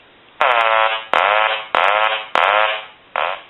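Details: Hand-painted wooden duck novelty telephone after repair, ringer set on high: five loud nasal quacks, each about half a second, repeating cleanly with even tone; quack ringer working properly.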